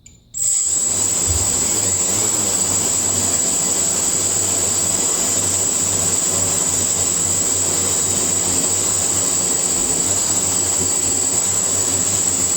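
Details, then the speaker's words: Quadcopter on a PID tuning stand with INAV firmware, P gain lowered to 9: motors settle into one steady high whine holding pitch, no surging or hunting; no longer overcorrecting or oscillating. "so you see when I fire this up the pop start turning it no longer when when when women you can hear the motors are not trying to overcorrect"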